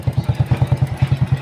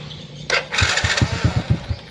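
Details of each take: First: Honda Supra Fit single-cylinder motorcycle, electric start previously hard but kick start easy: starts immediately on the button and kick, then thumps evenly at about ten beats a second; running normally. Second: Honda Supra Fit motorcycle is hard to start on the electric starter: it whirs, catches briefly with uneven puffs, then dies. It starts at once on the kick starter. The suspected cause is leaking compression.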